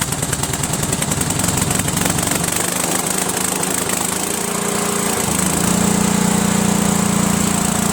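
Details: Cub Cadet lawn tractor with a horizontal Kohler Command engine, gravity-fed straight to the carburetor bypassing the mechanical fuel pump: a steady, even single-cylinder beat without stumbling. It runs great, pointing to a bad fuel pump with a worn actuator.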